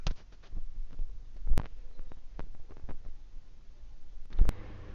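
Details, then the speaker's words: PS2 Slim 9-series (modded) disc spinning but not reading: low throbbing hum with scattered clicks and two sharp ticks as the disc rubs the laser ribbon cable; fix by adjusting the cable away from the disc. "in order to fix this problem you don't need to replace any unit just adjust the laser cable check whether laser cable touching the disk"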